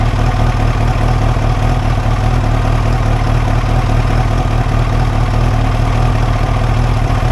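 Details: 1989 Kawasaki ZX-10 four-cylinder after about 12 years sitting, replacement fuel tank, first-start test on a bit of fuel in the carbs: steady, even low rumble with no misses, knocks or surges; clean, healthy idle.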